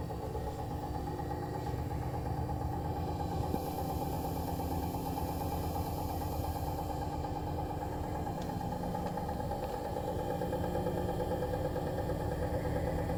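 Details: New Bosch Serie 4 EcoSilence washer, technician-installed with drum transit screws removed, spinning: steady loud drone with deep rumble and constant hum from the drum/spindle while the brushless motor stays quiet; occurs 400–1400 rpm, loaded or empty, cause unknown.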